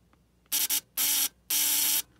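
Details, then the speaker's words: Model T buzz coil wired to a battery (polarity doesn't matter), used for hit-and-miss engines: three short sharp rasping buzz bursts, each starting and stopping cleanly as the circuit is touched closed, sparking at the plug; normal coil operation. "you should hear the coil buzz you should see a spark on the plug"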